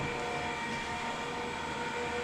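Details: Electric motorized TV cover roller motor running down while its limits are reprogrammed with the remote; it should stop on its own. A steady, even, mid-pitched electric hum runs smoothly, with no knocks or grinding.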